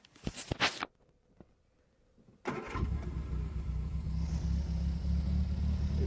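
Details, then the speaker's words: Barn-find Triumph Spitfire first start in about 40 years after carb rebuild and coil plug refitted: a few clicks, then a steady even low idle with no misses or knocks; carburettor still needs tuning. "it's just sitting here idling after just starting up for the first time in like 40 years it's crazy"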